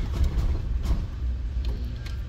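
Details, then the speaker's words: 1994 Honda after recapping the ECU's leaking Nichicon capacitors: brief cranking barely catches and stumbles, and it takes several attempts to start. It is still not fixed; code 9 points to the distributor's top-dead-centre/cylinder 1 sensor, and the check light must stay on for it to start. "it didn't start it took a while to start a couple of attempts"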